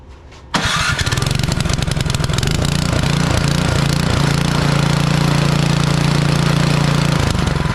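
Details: Craftsman snow blower with Powermore engine, sat a couple of years, after ultrasonic cleaning and rebuild of its Huayi carburetor, started on choke on a warm day without priming: brief crank, catches quickly into a steady, even drone with no surging; normal start.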